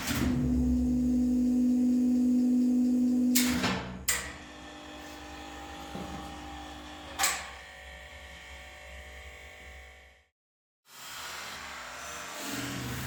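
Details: Lift machine-room motor with an end-mounted speed switch that closes a circuit above a set speed. Steady low hum, then sharp clicks and clunks as the switch and brake act before it stops; motor working normally.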